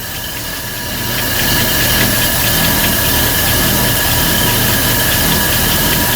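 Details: 1955 Buick Special V8 that sat unknown years, at first start after carburetor work with wet points: it catches, swells, then holds an even steady idle with a faint regular tick. It runs fine but is still a little lazy off idle.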